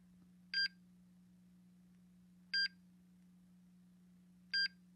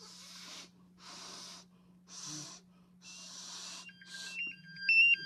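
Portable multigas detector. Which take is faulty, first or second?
second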